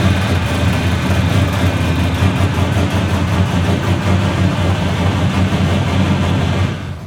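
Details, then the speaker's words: 1970 Dodge Challenger V8 (Vanishing Point Kowalski replica), first start after the leaking power steering box was overhauled and reinstalled; exhaust unfinished, loud open pipes. Deep, even V8 burble with a steady beat, no knocks or misses; a normal healthy idle. "Yep, she's thirsty, all right. Hey, she sounds good, doesn't she?"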